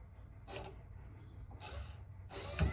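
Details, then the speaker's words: 1964–66 Ford Thunderbird convertible rear quarter power window mechanism, bench-run in vise on power wires after reassembly: short bursts of even whirring with light ratchety gear sound, no spring noise, only motor; smooth normal regulator operation. "i don't hear the spring at all only the motor i like that i like that a lot"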